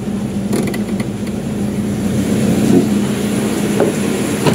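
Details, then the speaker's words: Toyota Revo idling before normal temperature with AC compressor engaged, after replacing belts and the power steering tensioner bearing: smooth steady hum, former squeak gone, belt quiet; normal running with AC on. "yun oh wala na so nawala na yung ingay niya nakakatuwa guys"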